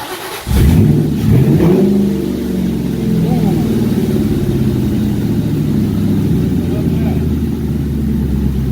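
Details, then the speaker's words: Lincoln V8 just swapped into a Mustang, first start after the install: it catches hard and settles into a steady, deep, even lope with no knocks or misses. Healthy idle. "That sound good? Yeah, I think it does too."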